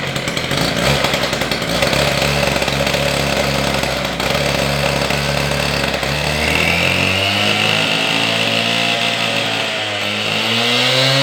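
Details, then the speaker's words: Husqvarna K760 cut-off saw after a top-end rebuild with new piston, rings, pin, cylinder and carburetor, running with no load: a crisp two-stroke buzz holds steady, then climbs cleanly as it revs, strong and even, normal running. "All right, I got this saw completely back together. I did start it once, and I think she's running pretty good."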